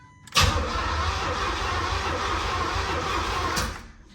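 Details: 1986 Corvette project car, fuel tank drained empty, no fuel pump heard running (relay possibly removed with inner fender liner): about three seconds of steady starter churning that never fires or picks up; engine cranks but will not start.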